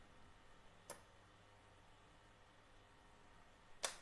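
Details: Yamaha NMAX (old model), scanner actuator test via DLC socket: quiet background with two sharp single clicks about three seconds apart as the fuel injector responds to the test command; normal injector operation.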